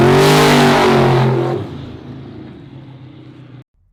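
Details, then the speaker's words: Turbo Silverback Z06 Corvette LS drag pass, wheelie-prone: hard full-throttle roar that suddenly falls away as the engine lays over under load; owner suspects crankshaft damage, not confirmed. "if you hear a layover which I think I had another video of it if you hear it layover that's usually the sound of it running over the crankshaft"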